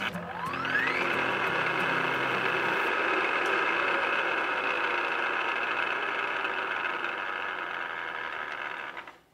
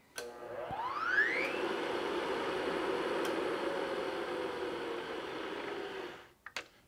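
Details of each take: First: Milling machine head spins up, then settles into a loud, raspy gear whine blamed on the back gears rather than column bearings; adjusting the back gears quiets it. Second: Milling machine after a quick back-gear engagement adjustment, with the earlier ugly noise traced to the back gears rather than column bearings: the head spins up with a rising whine, runs smooth and quiet, then switches off.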